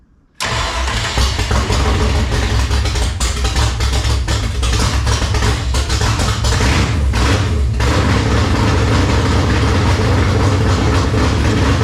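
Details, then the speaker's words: 1971 Ford Mustang 302 V8 on long-tube headers with exhaust open, oil system and carburetor primed, full choke, in neutral: cranks and fires at once into a loud rumble settling into an even idle; healthy start. "I think we'll have to leave the exhaust off for the first test drive too. That thing sounds rowdy with those long tubes open."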